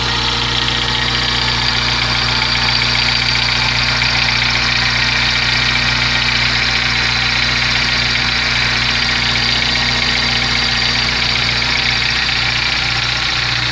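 Steady idle carrying a fairly regular tick-knock at about two and a half per second; the source can't be pinned by ear.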